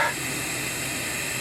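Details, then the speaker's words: MerCruiser 3.7L (MCM 470) marine engine, off, being turned by hand for a leak-down test while chasing slow overnight coolant loss: a steady airy hiss of air escaping through the valves as they open and close, felt near the power stroke; no problem found overall. "okay now we've got a lot of leak here at hissing as the valves open and close now that that was the uh Power Stroke we just hit I can feel it at the flywheel"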